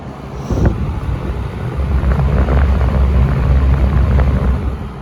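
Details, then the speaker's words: Wells Royal S-122 fan on low, louder with a deep pitch because of its smaller blades: deep, steady hum with an airy rush, even throughout with no rattle or wobble. Running normally. "a lot louder that's mainly because the blades are smaller and that pitch is deep"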